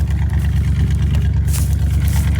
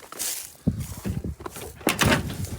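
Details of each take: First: 1983 Dodge D150 Prospector parked 25 years, now fuelled from the tank, after rapping the carburetor: deep, even, steady idle, no misses, purrs like a kitten. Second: 1986 Dodge Ram 150 Custom, engine turns freely, fuel poured in for the test: after some rattling the starter cranks steadily but it never catches; no spark because the coil-to-distributor tower was full of leaves with no coil wire.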